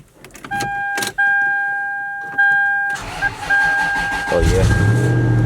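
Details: Toyota Sequoia with a dead battery and a key fob that doesn't work, started with jump power: door chime, a short crank, then the engine catches quickly and settles to a steady idle.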